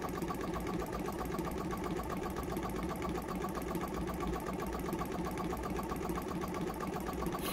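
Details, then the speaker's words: Jumper box air compressor with formerly seized motor, just got running, weak internal battery; fast uneven chattering about four pulses a second, strained, like a car misfiring: motor still tight and labouring, owner hopes running frees it. "if i leave it on the side it almost sounds like a car misfiring it definitely sounds like that motor is a bit tight"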